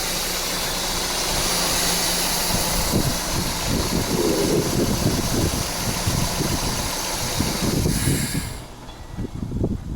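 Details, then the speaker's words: Peugeot 406 with AL4 automatic, engine idling: sharp, uneven knocks through a busy idle, seemingly from the cylinder head area; valve/camshaft, crankshaft bearing or big end are suspected, not confirmed. Engine knocking. "so I've confirmed what I wanted to confirm there is a noise coming from knocking sound either it's from the valve c shop or cor buing or the be in D so there's a problem already with this"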